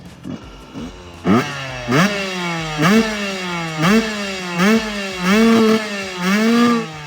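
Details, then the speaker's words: Two-stroke motorcycle with a custom longer silencer and forged carbon end cap: sharp revving blips about once a second with a dry metallic rattle underneath from the rattling crankshaft. "Ignore the rattling crankshaft and you can still hear the lovely ripping sounds, even better than before."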